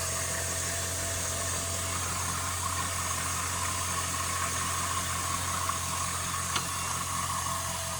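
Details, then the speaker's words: 2002 Chevrolet Silverado, 21 years old, after bleeding the power steering, idling: faint constant whine above the engine note, somewhat better than before; tired power steering pump suspected, not confirmed. "Still got a little bit of whine, but I think that's to be expected in an older truck."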